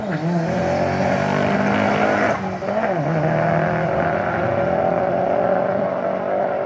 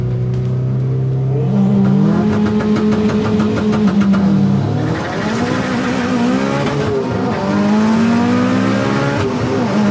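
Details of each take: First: Turbo AWD Eagle Talon on a drag strip pass after boost was raised. Pulls hard at high revs with a rough, stumbling, breaking-up note under boost: misfire from spark blowout, since fuel changes didn't help. Spark plug gaps likely need closing down. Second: Turbo AWD Eagle Talon in drag race elimination run after new spark plugs fixed third and fourth gear: engine climbs cleanly through revs on hard pull, rising smoothly without breakup; running strong.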